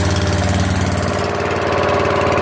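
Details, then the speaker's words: Newly swapped-in 12.5 hp flathead mower engine (replacing a 15 hp OHV), started after more oil, choke and throttle on: even, quick single-cylinder beat at a steady idle with no misses, knocks or hunting; good spark and compression, runs healthy. "Good sparks. Good pressure. Make some adjustments, but it runs."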